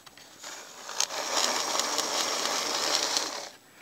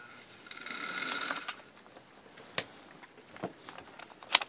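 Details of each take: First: Bachmann super 8-wheel-drive F9 model locomotive from the 1970s after restoration, formerly very noisy: soft, even whirr for about three seconds without grinding or clatter; normal running. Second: 1970s Bachmann Super 8-wheel-drive F9 model locomotive before restoration: a few clicks, then a thin, raspy high buzzing whir, running rough and noisy and badly needing cleaning.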